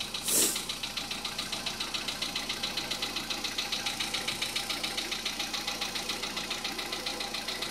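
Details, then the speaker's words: 2014 Volkswagen Polo Sedan, near 44,000 km, same oil for two years, cold idle before warm-up: light sharp tick about three and a half times a second over a soft engine hum; owner suspects hydraulic lifters, source unknown. "Вот стучит вот откуда-то, или вот оттуда, или вот отсюда."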